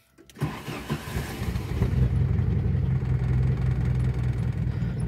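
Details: Used Pointer 1.8 in neutral, possibly cold: hesitant cranking pulses catch, then a low idle of about 800 rpm wavers and shakes. The cause is a missing ignition part.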